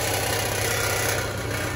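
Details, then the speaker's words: Nissan Xterra idling with a fine, buzzing metallic rattle underneath from the exhaust heat shield; its holding bracket/clamp is broken, fixed by replacing it with a plumbing clamp. "go right up there right up there you have a bracket that is broken that holds that heat shield and that's what we're going to be replacing here shortly"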